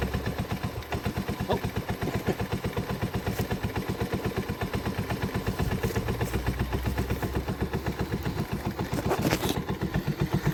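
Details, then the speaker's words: 1984 Honda ATC 125 in neutral after a carburetor swap and fuel tank flush, having probably sat a long time. The small single putters at a steady idle of about four beats a second with no hunting; normal idle. "she is idling I don't know how long she sat before she ran I'm guessing a good while but I said I don't have a story on it"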